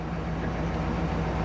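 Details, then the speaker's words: 2001 Silverado that stuttered, bucked and stalled, restarted after the repair: steady, even low rumble holding a smooth idle with no stumble or dying away; normal idle. "Fire the vehicle up, and it runs. I like that."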